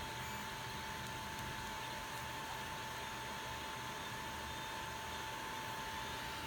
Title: ender 3 partscoolingfan buzzing noise